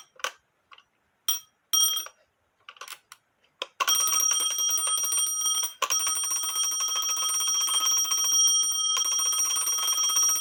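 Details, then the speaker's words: Black Forest Postman's clock with alarm, no known maker, dated 1840 by an expert (owner estimated 1850–1880), after bell post tightened with tape on threads: a few hesitant ticks and taps, then loud sustained bright ringing about four strikes a second; alarm rings normally, louder. "Would that wake you up? I'll put it on the table and see what it does. Like I said, it is louder."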